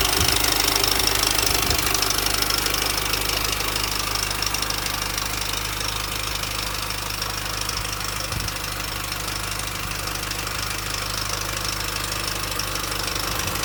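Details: 2004 Mini Cooper S R53 facelift at 109k, idling: fast, fairly even metallic rattle about three times a second. An established timing chain noise; the chain has likely already jumped and the front guide is possibly broken, both suspected.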